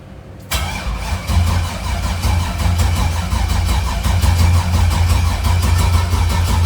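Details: Truck with a newly installed turbo LS engine, first start attempt: steady starter cranking at about 80 pulses a minute, but the engine never fires; the fuel pumps aren't working, suspected faulty, so no fuel pressure; not confirmed.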